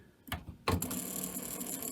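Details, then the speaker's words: Carver TD-1700 reel-to-reel deck (Aiwa-made): brief clunk, then thin whirring with no steady spooling; fast forward very slow, rewind not working, idler noisy, suspected poorly lubricated idler or other reel drive fault. "Now watch what happens when I try to fast forward. See, it's moving, but very slowly. And rewind just plain doesn't work."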